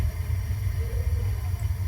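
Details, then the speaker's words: Gas water heater, 50-gallon tank, after replacing leaking connection hose: burner lit and heating, low steady rumble with no popping or flutter; flame burning evenly, normal operation. "I'm going to turn it on you hear that that was the sound of the flame igniting"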